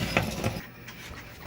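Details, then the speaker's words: Old arcade submarine machine, cabinet open: irregular crackles and pops over a low hum from its old speaker; the speaker is suspected, unconfirmed. "you can also hear the crackling of that old"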